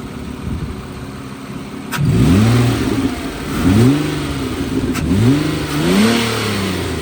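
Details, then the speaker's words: 2008 Nissan Altima 3.5 SE V6, tested before removal for resale: smooth idle with a few quick free-rev blips that climb and fall back cleanly, no knocks or misses; normal free revving. "Runs very smooth. We'll give it some rev up."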